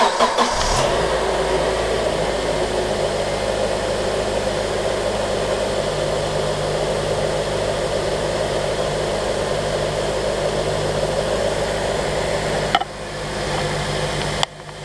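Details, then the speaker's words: Honda Element (2003-11 model) with about 207k miles, started just after spark plug replacement. It cranks, catches quickly and settles into a smooth, steady idle with no stumble or miss; owner noted an occasional issue while warming up at idle over the past year. "This motor's always run really good."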